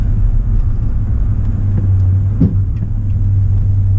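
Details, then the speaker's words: Fifth-wheel RV trailer on a truck with a Trailer Saver BD5 air-ride hitch: a single dull clunk over road rumble when braking or pulling away, traced to loose under-bed hitch adjustment nuts; Ford found nothing wrong. "were having an issue last winter where every time I would start moving forward, we would hear a clunk, and then when I'd put the brakes on, we'd hear another clunk."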